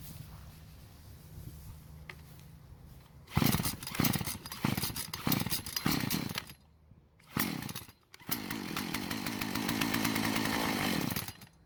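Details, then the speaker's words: Husqvarna chainsaw that wouldn't start, about 80 psi compression, runs only on mixed fuel poured into the spark plug hole; fires and buzzes unevenly in short bursts, stalls, catches, then fades: fuel delivery fault at the carburetor. "so it ran for a bit on the fuel that i put into the engine which is great news"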